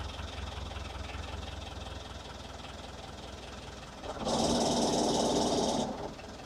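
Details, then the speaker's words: Boat diesel engine just after cold start following a long layup with glow plugs, fresh oil: even steady idle with regular clatter, no stumbling or knocks, no smoke, water coming from exhaust; normal idle. "So it's going to let her run. I don't see any smoke. That's a good sign. So she's purring like a kitten."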